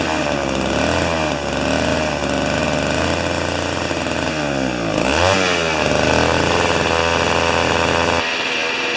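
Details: Old two-stroke snow thrower that sat for years, running on old fuel with a 40:1 mix, restarted after sitting: small engine buzzes steadily, revs up cleanly around midway and settles back. Normal, healthy two-stroke running.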